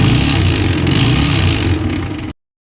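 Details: TVS Apache RTR 160 single-cylinder with a busy, uneven mechanical clatter over the exhaust beat; the source is not yet found, and the oil is drained before opening the magneto-side cover.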